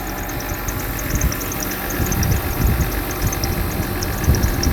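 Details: Mercedes W126 300SE, M103 3.0 L inline-six converted to a Voltarent ECU, still being tuned: low, steady idle rumble with no knocks or misses; normal idle.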